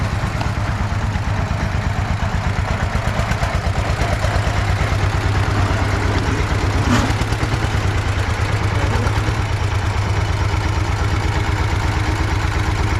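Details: Russian DT-14 tractor from the 1960s, single-cylinder diesel, hand-crank started cold after 10 years unused: slow, heavy thump at about three beats a second, low and steady with no knock; normal idle.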